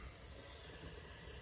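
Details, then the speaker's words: Junkyard Hemi from a police car, engine off, leak-down test on a cylinder: steady high airy hiss of air escaping out the exhaust, about 70-80% leakage on several cylinders, possibly from sitting; heads may need pulling. "now if you can hear it same thing coming out the exhaust we might be seeing a trend here and it could be very well from sitting"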